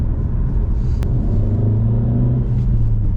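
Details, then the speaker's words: Standard Alfa Romeo MiTo Cloverleaf after repair, road test at full throttle: engine pulls under load with a steady, even low drone, no misfire stumble or knocking; smooth and healthy. "it's smooth yeah it is that's so much better oh that's so much better there we go it's obviously nowhere near as powerful as theb bar but we can't compare it because that's been tuned"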